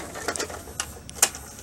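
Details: 1996 RCA VR652HF VCR after repair of gooey belts and PCB damage. A few light clicks and a short whir in a quiet room as a tape loads and plays with video; normal operation.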